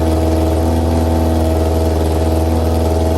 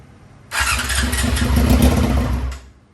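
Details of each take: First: 2001 Yamaha YZF R6 after carburetor rebuild, all jets changed and bad gas flushed, first run in three years: steady, even idle with smooth low drone, no misses or knocks. Normal idle. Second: 2001 Yamaha YZF R6 carbureted, first start attempt in three years, choke on: starter churns about two seconds, ragged, never catches; cause was side air box pipes hooked up where previous owner deleted vacuum lines. Crank no start.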